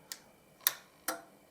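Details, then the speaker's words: Sansui HTS-105 AV digital surround receiver with no-sound fault: three crisp clicks as the output protection relay switches in and out, suggesting no DC on the output; an exploded-looking diode also seen. "so there's another relay over here so I want to know which relay is the One clicking in and out that one did go click so there's no DC on the output by the sounds of things"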